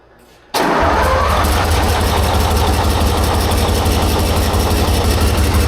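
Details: 1944 Cleveland 3-268A two-stroke diesel after fuel-delivery fix: fires up after a quiet start, first on one cylinder, then two and three pick up together into a steady, even idle.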